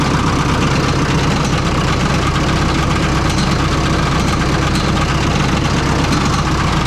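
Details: Oliver 66 diesel tractor at steady idle after an oil change to clear fuel-contaminated oil; a faint, uneven light tick underneath as a cracked fan blade catches the shroud, later breaking right off.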